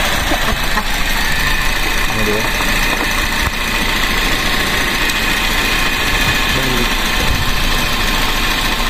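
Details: Grab taxi car at idle with a rough, lumpy, uneven beat; a cylinder misfires because two spark plug wires were swapped after new spark plugs were installed, against the 1-3-4-2 firing order.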